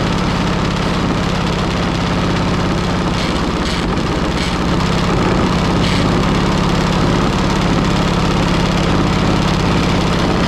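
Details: Pony engine of a 1945 Caterpillar D7 3T that sat over 40 years, restarted while the main engine won't turn over: steady low idle with a hard metallic knock of about three a second; glitter in the oil, air bubbles under the spark plug, suspected locked up.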